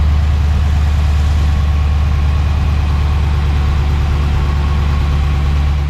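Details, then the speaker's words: Dodge Hemi V8 just fitted with a new serpentine belt: deep, even idle with a steady low rumble, no belt squeal or chirp; normal idle. "Serpentine belt is on. So let's go ahead and turn it on, and let's listen to this. Should be a lot more quiet."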